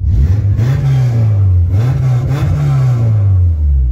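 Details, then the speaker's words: Subaru (still smokes a bit) after fitting a cheap Thrush turbo muffler via adapter to the previously too-loud exhaust; deep smooth rumble rising and falling with throttle blips, no rasp or rattle, slight rubbing noted. Normal exhaust note. "yeah so suvi's done rolla ford yeah i mean and it sounds beautiful"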